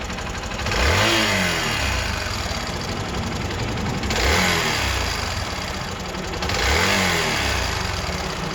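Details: Hero Xpulse 200 engine before valve clearance adjustment: fast light ticking clatter over idle and throttle blips, following engine speed; excessive valvetrain noise from incorrect valve clearance.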